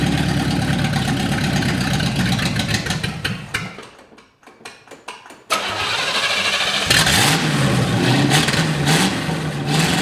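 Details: 1955 Chevy V8, stored 20 years as a shed find, started after wiring work to check charging; it cranks, pauses, then fires and settles into a steady, lumpy idle with throttle blips while the ammeter reads near zero. Normal start and idle.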